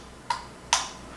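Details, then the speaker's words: Electric scooter twist throttle, for a wheelchair conversion, powered with relay clicking: two short, crisp clicks about half a second apart as the first internal switch (two orange wires) activates when turned; clean, quiet, normal. "so looking at this thing and listening as I turning it they click happens with it when the first which activates which is the two orange wires"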